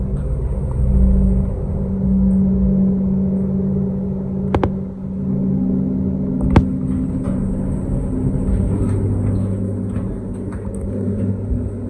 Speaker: You can see that the pressurization fan's on for the lifts, you can hear it going.